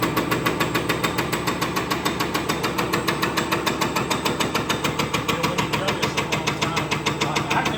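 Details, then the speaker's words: Spare diesel injector on a test stand during warm-up fuel flush: sharp regular ticking about three and a half per second with a rough, uneven spray note, unlike the Detroit injector; stand shows fail, injector bad. "It definitely sounds a lot different than when we had the Detroit injector on there."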